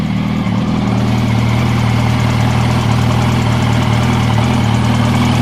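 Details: 2006 Yamaha YZF R1 with 19,000 km at a steady idle: quick, light ticking at about three or four per second from the cylinder head area.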